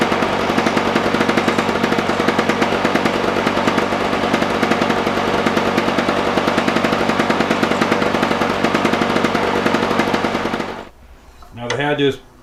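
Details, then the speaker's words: Lawn Boy push mower with intermittent no-spark, running after being dried off: single-cylinder pops at a fast, even beat for about eleven seconds, then shuts off; it mowed about 10 minutes fine. "so I mowed about 10 minutes with it and everything was fine"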